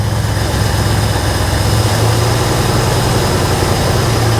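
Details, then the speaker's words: Ford F100 V8, first start after purchase, no radiator fitted: holds a fast steady idle that never drops; throttle lever stuck open, pulled back toward the front; high idle from stuck throttle linkage. "I had to pull a throttle lever on here back towards the front of the truck uh cuz it was stuck open that's why was idoling so high"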